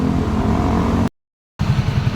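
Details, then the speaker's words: Single-cylinder motorcycle with sidecar after engine rebuild replacing broken connecting rod and suspected crushed bearing: steady, even idle with smooth low beat, no knocking; earlier tak-tak noise gone, quiet and fixed. "Okay na uli mga tropa. Tahimik na uli yan tahimik na uli. Ayos na."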